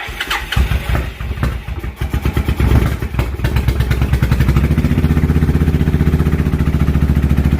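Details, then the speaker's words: 1992 Suzuki 1400cc motorcycle, first startup after carb cleaning, air box off, new battery, extra fuel added: cranks, stumbles, catches, settles into steady idle with quick clean revs; healthy start. "i ran it out of fuel the first time sounds healthy to me pulling on that gas pretty quick"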